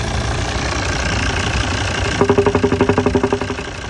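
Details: 2008 Volvo XC90 D5 diesel at idle: a steady rumble with a sharp knock repeating about four times a second. Engine knocking noise.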